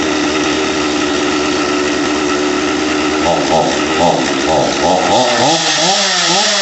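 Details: Stihl MS250 chainsaw, cold start after swap to OEM carburetor: runs steady on choke, revs up and down, then holds a clean idle without hunting; possible air leak if idle ticking appears.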